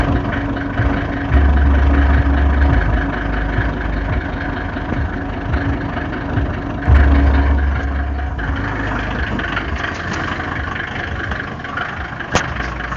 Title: Om605 knocking sound 2